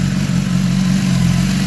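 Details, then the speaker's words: 2015 BMW S1000RR race bike on a lift with fairings off, started quickly after sitting about 6–8 months: low, even, quiet idle rumble with no ticks or knocks; normal idle. "Well, it started pretty quick actually. Really quiet."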